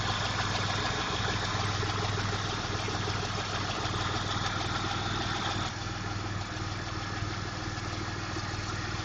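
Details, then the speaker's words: 1992 Chevrolet Camaro RS, recorded on a phone: idle uneven and harsh with a pulsing beat about three times a second and hiss over it, plus belt-like whine the owner says it has always had; owner suspects vacuum leak from dry-rotted vacuum hoses. "it's running relative like it's it's idling a little harsh also the car likes to whine like the belts I don't know if that's normal"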